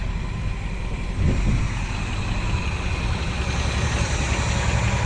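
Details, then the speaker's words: Ford F-350 with a low-mileage engine, first start after sitting 5 to 7 years: steady, even low idle rumble with no knocking and no smoke; normal idle, throttle still sticking a little. "We're running. She runs smooth, folks."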